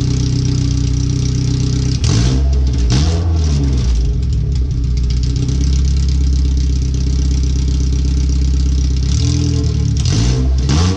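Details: First startup after replacing header, fuel filter and differential bushings/seals, O2 sensors relocated: deep, loud, raw rumble at steady idle with a few short blips, header with no exhaust behind it; computer read 5–7% rich at idle.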